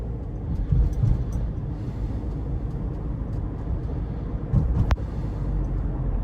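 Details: 2018 Subaru Forester Limited, 170-hp 2.5L 4-cylinder, in-cabin at cruising speed: steady low road rumble with no creaks, ticks or rattles; tight, quiet interior.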